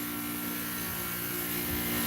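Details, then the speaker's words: Goodman AC condenser with replacement fan blade on ECM fan motor and compressor noise blanket: even low hum with soft fan whoosh, no rattles or rising whine; compressor notably quieter than normal, running healthy. "That compressor's way the frick quieter than normal. Wow."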